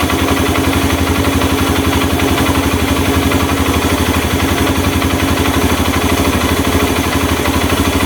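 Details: Honda Mega Pro mono single-cylinder, after finding an air leak and setting the carburetor air screw for hard starting and stalling at idle: even idle thump about four beats a second, steady, no hunting or dying.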